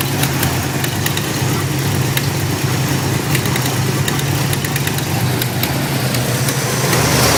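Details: 1993 5.0 V8 at idle: low rumble with an uneven, stumbling beat and scattered ticks; rough idle, cause not determined.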